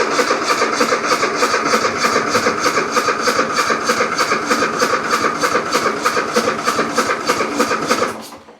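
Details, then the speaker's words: Riding mower or zero turn, cold start: steady starter churning about three beats a second for eight seconds with no firing; cranks but won't start, runs fine once started. "ll turn over and turn over and turn over, but will never start. Every now and again you can get it to start, but it's extremely hard cold starting."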